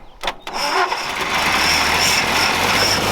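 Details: Engine on an off-road rollback build started after fuel was added and the timing was rotated forward: a brief crank, then it fires and settles into a smooth, even run with no knocking underneath; the motor sounds healthy and in pretty good shape.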